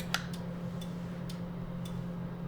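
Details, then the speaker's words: MASSO CNC control cabinet for a Precision Matthews PM728 mill conversion, e-stop pressed with tower lights flashing: crisp single relay clicks at irregular intervals over a low mains hum; relays switching normally. "And I can hear the relays clicking. So I know we're good there."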